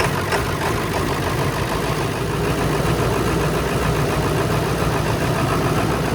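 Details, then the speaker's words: 2000 Ford Excursion 7.3 Powerstroke, running after PATS-caused crank-no-start fixed by reinstalling original PCM with PATS deleted: even diesel rumble at idle, steady, no misses or knocks; normal idle. "And now that we got it running again, time for a little cleanup."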